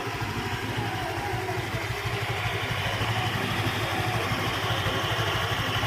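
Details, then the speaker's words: Honda Vario 125 scooter on centre stand, owner reports rattling/creaking at 70-80 km/h and uphill, engine otherwise smooth and smokeless: even, steady putter at idle with no knocks, rattles or misses; idle is normal. "OK, for the condition of the engine sound when it's idling like this, the rotation is very smooth, like a normal motorbike, no problems whatsoever, Bro."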